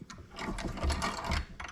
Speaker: i don't know if i put this spring and washer back in there right because kind of make some noise you can hear that spring but it goes in it goes out